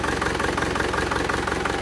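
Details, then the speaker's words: Isuzu Panther LS diesel idling with a lumpy, limping beat and a regular tak-tak. The mechanic attributes the tak-tak and the limp to uneven injector nozzles, so the car must go to a nozzle shop. "Jadi ini suara nosel nih lihat kalau mesinnya ada pincang terus ada taktak berarti pincangnya itulah yang menyebabkan suara taktak"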